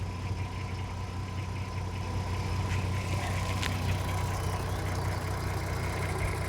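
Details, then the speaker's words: 2007 (57 plate) VW Golf R32, 3.2 V6, about 92k miles, idling before a carbon clean; owner says it sounds rattly: fine uneven rattle over a low engine drone. Rough rattly idle, cause suspected, not confirmed. "here's a car he's just bought this car about a week ago it's a 32 VW Golf and v6 engine he said he sounds a bit ratalie"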